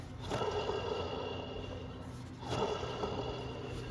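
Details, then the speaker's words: Water pump from a 1999 Chevy Silverado 1500 4.8, removed and spun by hand. Each spin gives a dry, gritty rasp that fades as it slows: a worn bearing, whereas a good pump should be silent. "tell toil sign of a bad water pumps when you can hear that noise except it'll be louder"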